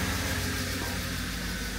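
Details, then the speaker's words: Mercedes V8 (R129 SL500 or W124 E420) started after long storage (years sitting), idling on all cylinders; ticking heard is the secondary air pump underneath. Steady, even low rumble, no misses or knocks; normal idle. "so it's running on all cylinders what you hear ticking right now is actually the secondary pump right now on the bottom"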